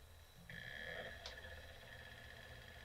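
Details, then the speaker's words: Original PlayStation 1 bought on eBay, another unit's disc drive temporarily fitted, loading a game; faint whirr rising as disc spins up with a light click; normal disc spin-up and loading, original drive faulty. "Yeah, and it appears to be loading my game fine. Or at least it's starting it up."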